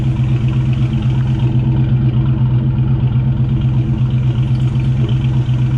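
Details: 1999 Ford Mustang GT with Nemak engine, newly built, first run: steady deep even idle, no knocks, ticks or stumbles over the low rumble; normal idle with about 70 psi oil pressure; transmission line leak noticed.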